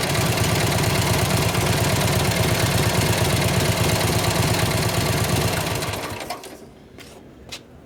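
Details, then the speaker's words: 1953 Harley-Davidson 74ci Panhead, kick-started cold, after timing adjustment and turning the carb two clicks: steady, even loping beat around three firings a second with no misses, normal running. "2 clicks on the left feet. Sounds way better."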